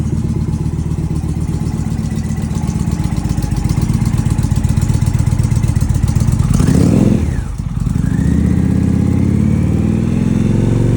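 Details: Indian Challenger after exhaust pipe leak sealed with Permatex high-temp sealant and pipe refitted: steady idle thump, one throttle blip settling cleanly, no puffing or ticking from the exhaust. Normal idle after repair.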